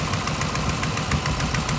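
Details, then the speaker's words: 2015 RAM 1500 5.7 HEMI after fitting aftermarket headers: quick sharp ticking at idle, four or five puffs a second, from the passenger-side header gasket (the kit-supplied gasket); driver side with Fel-Pro gasket quiet. "driver's side is quiet as a mouse the passenger side is leaking pretty good"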